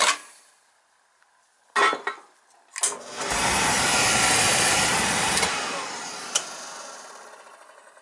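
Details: Beckett oil burner clicks, lights with a roar that slowly dies away, then trips out on safety lockout; primary control suspected bad.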